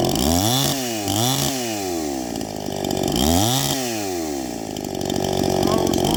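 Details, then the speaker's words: Stihl MS261 first generation with a high-circuit tune, gutted and ported muffler, rebuilt Zama carb, 30:1 on 91 octane, at 7000 ft, cutting dry Ponderosa: screams at full throttle, pitch dipping under load, clean and strong. "good cutting performance"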